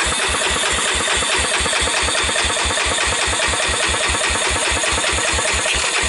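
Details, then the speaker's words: 1998 Honda TRX300EX single, carburetor removed for a compression test after oiling the intake valve seats and a few minutes' running (previously 35 psi dry): steady, even cranking puffs about 2.5 per second, reading 155 psi; healthy compression. "wow wow 155 this engine is rock solid and when it was running it really wasn't smoking or anything"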